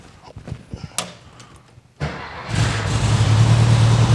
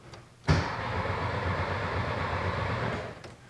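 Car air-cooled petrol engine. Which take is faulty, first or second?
second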